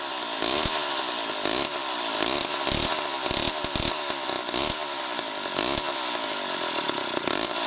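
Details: 1960s Homelite C-51/XL-12 two-stroke chainsaw revs surging and dropping in uneven bursts and won't settle; the owner doesn't know why it floods the carb and turned the low-speed mixture screw in to lean it.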